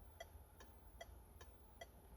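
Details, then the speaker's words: PSA-group car, right indicator activated via Launch Creader Elite V3 PC diagnostic actuator test: faint, crisp ticks about 2.5 per second in a quiet cabin, graph showing active/inactive; flasher relay cycling normally. "Alors, là vous voyez je suis sur la commande d'indicateur droit et donc c'est-à-dire le clignotant droit, si j'appuie ici on pouvait voir sur le graphe"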